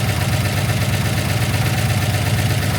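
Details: Daimler Majestic Major hemi V8 limousine at idle: a deep, steady lope just under three beats a second, even and smooth with no tapping. A healthy warm idle.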